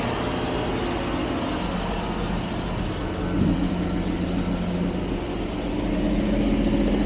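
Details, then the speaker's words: Carbureted 1975 Jaguar XJ12 V12, started on max choke with the choke then backed off one step: low, uneven, lumpy idle with a missing pulse; owner thinks it is down just one cylinder, a big improvement, not yet set up. "we're down just one cylinder. So that's really really an improvement."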